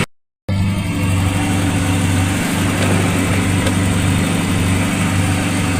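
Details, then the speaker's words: VW Golf/Polo Classic MP9 fuel injection during cold start and fluctuating idle fix, after carb cleaner, MAP sensor plugged in: steady low hum holding an even idle with no hunting or surging; running normally. "But, it's maintaining a steady idle cold start."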